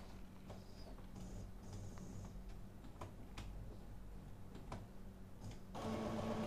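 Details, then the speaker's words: Brother MFC-5890CN A3 inkjet after printhead replacement, running a cleaning cycle: steady low pump hum with soft irregular clicks while purging air from the tubing, then a louder whirring second pump stage. Normal cleaning cycle. "so I will just do a cleaning cycle and as you can see as you can hear this noise okay stop now he was just purging the air out of the tubing in the second section of the cleaning that will just start now the louder one"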